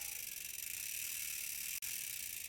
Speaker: now that noise that you hear is a important and integral part of your bicycle working properly